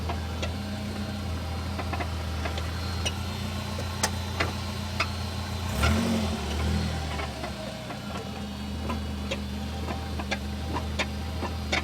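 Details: 2000 BMW 318Ci petrol engine idling with a loose, uneven rattle of sharp clicks over its steady hum; cause unknown.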